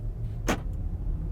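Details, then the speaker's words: Volvo V60 T8 Polestar plug-in hybrid gasoline engine after running out of gas and refueling; it sputtered hard at first with reduced performance, now a low, steady hum with no misses; normal running. "hey listen to that it's running smooth again huh well isn't that something"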